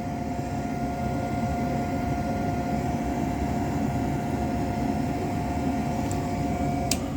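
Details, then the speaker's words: Trane single-stage 90% propane furnace, no heat: inducer runs, pressure switch closes, igniter glows, steady fan hum with faint high tone but no ignition whoosh; burners failing to light, crusty flame sensor found. "this is propane and guys it looks like all of my Burns didn't light"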